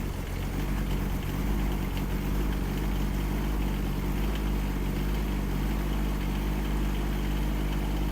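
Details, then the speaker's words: Kymron XH20D 3500 lb mini excavator with Yanmar diesel, cold snowy day, started after warming the glow plugs: steady, even low-rumble idle right after cold start, no misses or knocks, burping some smoke; normal idle. "We're good. It's burping out some smoke, but I think we're good."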